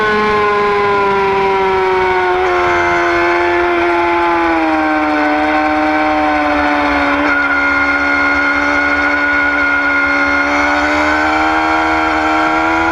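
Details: 2009 Yamaha R6: clear steady whistling whine that slowly sinks in pitch as revs ease off, riding above a quiet engine; source undetermined.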